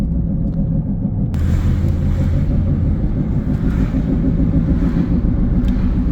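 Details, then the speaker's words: Toyota Yaris bought to flip, driving at about 40 km/h after being driven an hour like this: loud, steady low droning rumble with no knock or squeal; owners suspect a rotor, a fault at one wheel, cause unconfirmed. "Yeah. I drove it for an hour with this sound. I'm only going 40 k's. Yeah. Sounds like a rotor. Definitely something wrong with the wheel right here."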